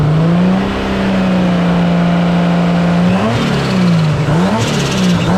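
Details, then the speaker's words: 1JZ-swapped Nissan 240SX S14 at a private track day: fast idle then ragged, uneven blips; misfire, owner suspects water on a spark plug from washing, plugs changed but it misfired again; not confirmed. "There was a bunch of water that got on the spark plug from when I washed it. I didn't cover up the spark plugs. Oh, damn. It just misfired again."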